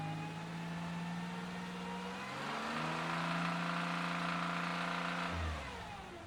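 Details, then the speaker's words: 2011 Chevrolet Impala 3.5L revved to about 2,000 rpm then dropping back, faint repeating knock underneath; chunks already on dipstick, engine believed to need replacement. "I'm going to rev it up to about 2,000 RPM. Hopefully, you can hear the knocking."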